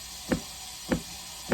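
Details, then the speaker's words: Uni-dose chlorinator diaphragm pump: deep single knocks about every 0.6 seconds, evenly spaced over a quiet background; the diaphragm makes the knocking, normal stroke, usually set around 55. "sounds like a tiny little heartbeat I usually keep it around 55 because the tenants probably don't want the water smelling like bleach but they also don't want it smelling like sulfur so we're going to do that this piece is the diaphragm this is what makes That Knocking Noise"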